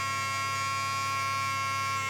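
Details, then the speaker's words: 1988 Ford Sapphire RS Cosworth ABS pump, brake lines not fitted and ends nipped off. A steady, even whine runs over a minute without cutting off. The owner wonders whether it needs all the brake lines on or whether there is a pressure switch. "this is coming up to 30 seconds that's over a minute right we're KN it off"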